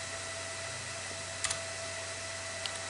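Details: Old upgraded desktop PC booting into Windows 10 install: loud, steady airy roar with a faint whistle as the CPU fan runs near 6000 rpm.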